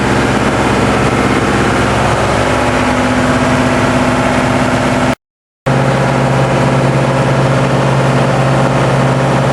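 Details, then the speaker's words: TDME 490 58 hp marine diesel with 3:1 hydraulic gearbox, newly fitted to a motor boat in place of a 4Ch 8.5/11, not yet run in, on a cold-morning sea trial with light bluish smoke: speed 11, 2000 rpm. Steady, even drone with no knocks or misses. Normal running at cruise speed. "Скорость 11, обороты 2000. Выходим из среднего загона."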